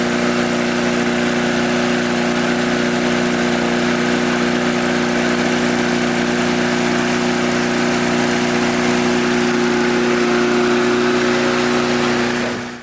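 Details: Curbside-picked mid-2000s MTD Yard Machines push mower, oil clean but a little low, small engine holds a steady, even drone at constant speed with no hunting, knocking or surging; runs healthy.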